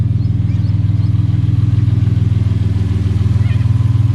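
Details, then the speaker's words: 1975 Toyota Crown MS85 with swapped 2JZ-GE, first start after fuel system work, fuel pressure 42 psi; smooth, steady low burble idle with even pulses, no ticks or knocks, good oil pressure, no overheating, runs well. "She purrs like a kitten. She runs good, she sounds good, the oil pressure is good, she does not overheat."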